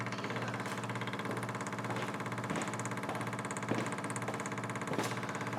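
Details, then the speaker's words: Carbureted car converted to electric fuel pump on new relay, ignition on with engine off; steady low hum with faint even pulse as system pressurizes, no leaks; normal fuel pump operation. "that's our fuel pump running off the relay and it keeps the loads down we can see as everything pressures up there's no leaks no runs no errors everything's tight"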